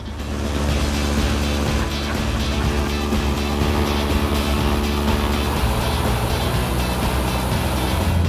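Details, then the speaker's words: Piper Cherokee Six 300 aircraft engine started after sitting several years, pump off, alternator charging, good oil and fuel pressure, oil still cold; deep steady drone with even beat, no misses or surges; running normally. "It's just just running good. This is running good. There's It's perfect. This thing's running perfect."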